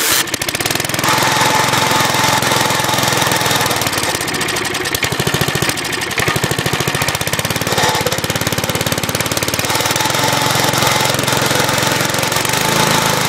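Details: Scrapyard-found crank-start Briggs & Stratton push mower running on fresh gas with additive after cable adjustment: loud, steady single-cylinder putter at a fast even pace with no misses or knocks; runs fine.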